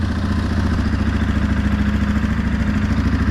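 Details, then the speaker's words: 2016 Suzuki KingQuad 500 4x4, bought non-running, idling after starter motor replacement fixed it: even low pulsing idle about three to four beats a second, no misses or knocks; normal idle. "so it actually runs really well in a as you can hear and uh it's great"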